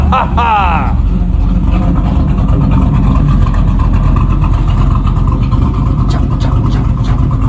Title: 1989 Camaro carb rebuild and first start in 13 years :)